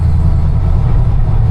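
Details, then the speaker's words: Dodge Dakota pickup on a drive just after the rear end was rebuilt, with the new gear set still breaking in: steady low exhaust and road noise at moderate speed and no gear whine. Normal rear differential. "once we put that on but gear noise is gone we just have to drive like a granny for a while to let this gear set break"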